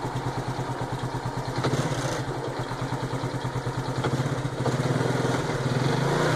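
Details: 2010 Honda Biz 125 engine, just back from a rebuild and noisy since. A light regular tapping rides on the idle and rises slightly with revs. The mechanic says it is piston skirt slap from abuse; the owner doubts this, so the cause is unconfirmed.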